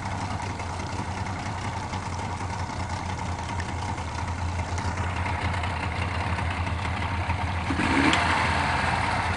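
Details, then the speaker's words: Yamaha outboard on a small Whaler, pee tube disconnected: even idle, then a sharp abrupt chirp as it stalls and stops; cause not yet found. "I have a piss tube disconnected off the back which is no big deal but it stalls with a chirp an abrupt CH and stops that"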